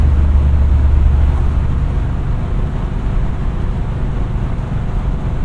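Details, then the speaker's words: 1970 Chevelle SS 402 V8 after fuel pump changes to fix stumbling, binaural in-car recording, steady cruise at moderate and light throttle: deep even rumble, no stumble, misfire or surging, shifting better: normal running while driving. "no issues to speak of thus far everything seems to be going good shifting a lot better at least for the moderate throttle and light"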